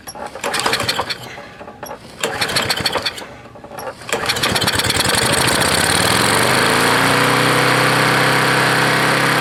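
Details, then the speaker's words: Lawn-Boy roadside walk-behind mower, 149cc engine, first start on the carburettor after flushing fuel, nest inside shroud: sputtering uneven bursts then a loud high steady buzz; engine speed far too high. "it was uh the idol was very high i mean the speed was very high so i'd like to lower tha"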